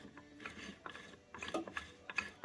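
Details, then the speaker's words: Transmission from a 1938 Chevrolet Master Deluxe, out of the car and in first gear with no gear oil yet, input shaft spun by hand: quiet, light ticking of gear teeth, free and smooth with no grinding, normal gear mesh. "I can put it in the gears and you know spin the input here it's in first gear right now"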